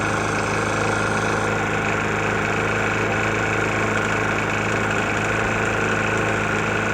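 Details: Briggs & Stratton engine on a Murray E450 mower, found with almost no oil and topped off, running at speed: hard, rapid knock hammering through the drone.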